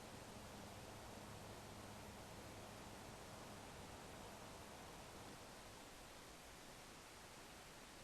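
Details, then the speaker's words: Corsair AX1200 power supply after swapping its whining fan for a Noise Blocker Black Silent Pro PK3 1700 RPM fan, running at about half speed, camera about a foot away: soft, even airy hush, no ticking or rubbing; quiet, normal. "now the camera is about a foot away from it and I just shush up for a minute and that's how quiet it is and that's corset X1 1200 with a noise blocker black silent Pro pk3 1700 RPM fan in it"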